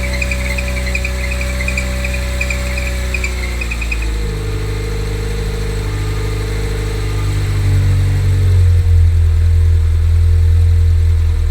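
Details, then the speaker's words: Cold idle of a 1980s Renault 9 after radiator and cooling fan replacement, choke fully open, car sat for weeks so mechanical fuel pump took a while to draw fuel; smooth even hum settling slightly lower, no knocks; normal idle. "Obviously mechanical fuel pump takes a while to crank the fuel through. That sounds really good."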